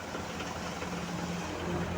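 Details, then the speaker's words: Airfinity electric fan runs with steady low drone and rough vibrating buzz, shaking and sometimes jumping; owner's added base screws didn't help. "Tapos maingay. [tawanan] Ayan. Minsan may time pa daw na tumatalon-talon siya. Ayan oh. Nanginginig. Tapos ayan oh. Maingay siya. Ma-vibrate."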